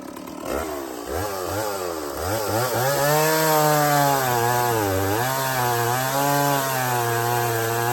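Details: Stihl 024 chainsaw after a cobbled aftermarket air filter and carb tuning, started cold without choke after sitting 1.5 hours: revs climb cleanly from idle and hold a crisp steady buzz under cutting load, no bogging, not missing much.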